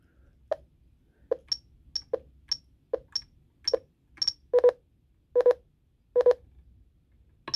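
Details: Jeti transmitter with a rotary knob programmed as a repeating trim, e.g. for gyro gain: short, clean beeps roughly once a second, some doubled, as the trim steps normally with each knob movement.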